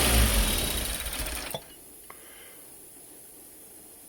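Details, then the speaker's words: Peugeot 205 GTI with idle control fault: engine runs steadily, then dies the instant the idle control valve is connected; wiring fault suspected, idle valve lacking earth. "so something on the wiring is not liking the idle control V CU as soon as it's plugged in it's shutting it completely down"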